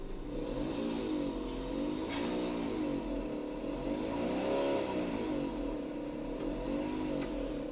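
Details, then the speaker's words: Suzuki Mira, engine running, recorded inside the car with the doors shut: loud wavering drone from the automatic transmission, not the engine, suspected to be the torque converter turbine or its plate. "और वह noise जो है turbine जो होता है transmission का auto या तो उसका है या तो उसकी प्लेट का है"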